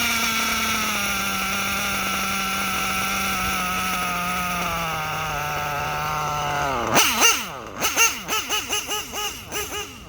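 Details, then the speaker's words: Reds nitro engine, R5R horizontal carb versus traditional carb test; high whine sags then surges in uneven choppy bursts, erratic revving because the bottom end (low-speed mixture) is way too lean. "Okay, you saw how the engine revved up real erratically on the bottom end. The bottom end was way too lean,"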